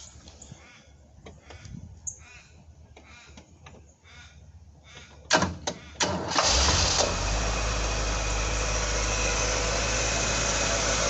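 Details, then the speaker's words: 1978 Ford P6 LTD barn find from a shed in Victoria: a few cranks, then it catches and settles into a steady, even idle with no knocks or ticks. Healthy engine, normal idle. "so it actually sounds like a very good motor we'll start it up"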